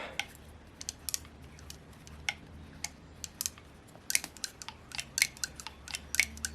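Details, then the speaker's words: Saito FA-130T twin-cylinder model four-stroke turned over by hand with a prop: crisp rocker clicks, no bearing noise or roughness; normal, healthy valve train clicking. "now that clicking clicking clicking sound you're hearing is the rocker is all moving that's a very happy sound that's what you want to hear on most fourstroke engines"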